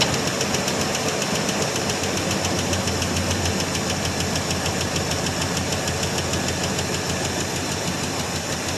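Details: 1984 Chevrolet Suburban V8 just started cold after about three years sitting: a rough idle with a fast, light ticking of about three or four a second. Lifter noise at first that faded while warming up; lifter tick.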